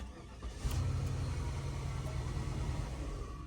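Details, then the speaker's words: Flood-damaged Cadillac DTS convertible after a BCM swap, now starting with the key: it cranks, catches, runs briefly with a low rumble, then dies. The injectors get cut each time, and it may need programming; cause unconfirmed. Engine starts then stalls. "Doing the same thing it did before where it's shutting off, but I can actually start it with the key now."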